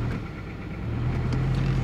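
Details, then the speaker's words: 2000 Toyota Celica GT 1.8L in Drive after coil swap moved the cylinder 2 misfire to cylinder 1; rough, lumpy rumble shaking the camera; two dead cylinders (1 and 3), faulty ignition coil confirmed. "doesn't drive now it's running real bad as you can see my camera's shaking both cylinders are currently misar severely we have two dead cylinders"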